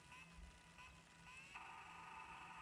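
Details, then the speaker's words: Sony MZ-R70 MiniDisc recorder spinning up with thin high whirring whine rising in pitch and loudness, likened to Star Trek; display, volume, pause and hold then work with the RM-MZE33 remote; noisy mechanism whir. "so we've got a noisy MZ r70 let's see if that's going to work work sounds like the St Tre sounds like a Star Trek"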